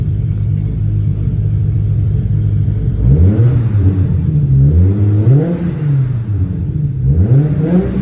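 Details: 1994 Toyota Supra MkIV J-Spec RZ, 6-speed manual, built 1251bhp engine with Precision Gen 2 turbos and a Syvecs ECU, started after sitting a while. Steady idle, then three crisp blips that climb and drop back smoothly without hesitation; it free-revs healthily.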